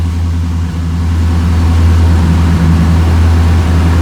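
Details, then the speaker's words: 1977 Chevy C10 V8 just started on second try after steering gear box swap: deep, steady burble settling into an even idle, no misses or knocks; oil pressure gauge working; normal idle. "Oil pressure gauge is working too. Ha! Second try wasn't too bad."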